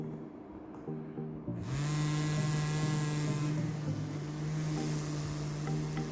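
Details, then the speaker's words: Small DC motor powered by three cells: steady, even buzz with a high whine, spinning fast and running smoothly. "Let's try and see what happens. I'm sure you can hear the buzzing sound now."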